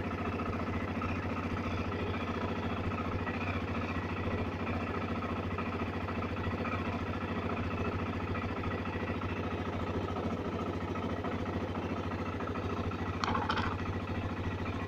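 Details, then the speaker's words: BMW F650CS motorcycle, first start after throttle body cleaning, cold engine just started: steady fast idle around 2000 rpm with an even, quick pulse and no misses or knocks, about to warm up. Normal high cold idle. "только запустил, обороты были 2000. Сейчас начнет прогреваться."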